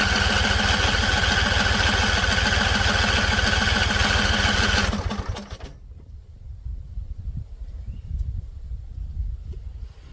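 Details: Husqvarna Z254 mower engine, after a PTO clutch install. It catches on carb spray and chugs steadily about five seconds, then cuts out abruptly. Won't keep running on its own; owner suspects flooding or a tank not venting.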